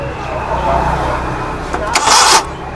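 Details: Suzuki Mehran Euro 2 petrol engine idling lumpily, misfiring on one cylinder because the number one injector gets no pulse signal from the computer; fix of the misfire and pulse issue.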